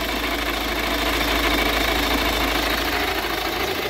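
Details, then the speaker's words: 2012 Jetta 1.6 diesel makes a harsh, steady gritty grinding while running: the starter pinion stays forward and rubs the flywheel, not the belt side as the customer thought. The starter will be removed. Starter pinion grinding on flywheel. "şu an maş dinamosunun dişisi ileri kısma geldiğinde yani ileri kıs geliyor ve volanta sürtüyor arklar bu ses tam olarak bu yani kayış tarafından değil"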